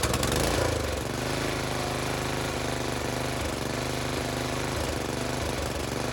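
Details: Briggs and Stratton tiller engine with new China-made carburetor, spark plug, air filter and fuel line, idle screw adjusted: small single runs with steady even firing beat, no misses or knocks; healthy.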